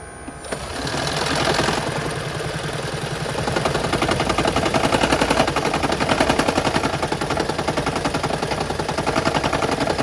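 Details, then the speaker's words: 2013 Lexus CT200h hybrid, cold start in the morning with the check engine light on: rough, fast rattling chatter that lasts until it returns to hybrid running, then goes quiet; the rattle was fixed by a tune-up replacing worn spark plugs. "and of course once the once i started and then it you know it makes the noise for however long it takes and then it went back to running as a hybrid with no noise"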